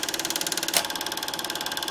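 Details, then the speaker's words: Bell & Howell Filmosonic Super 8 twin-track sound projector, almost 40 years old, made in Japan, running film with lamp on; crisp, even clicking about fourteen per second with light whir underneath; normal, smooth film advance. "it's a very well- made machine the machine was made in Japan and this machine is almost 40 years old"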